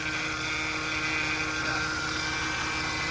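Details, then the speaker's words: 2008 Mercedes C300 at idle, heard near the power steering pump: constant high whine with vibrating, ticking hum; owner suspects the pump and will likely replace it, possibly also a pulley bearing. "So yeah, so I will probably replace that, because that will probably most be the culprit. It's causing that vibrating, whiny noise."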